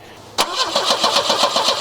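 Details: Volvo 245 cranking after ignition work: the starter spins the engine evenly at about seven beats per second, but it never fires. A bad coil was suspected earlier; now no fuel is suspected, as the fuel pump isn't heard. Crank, no start.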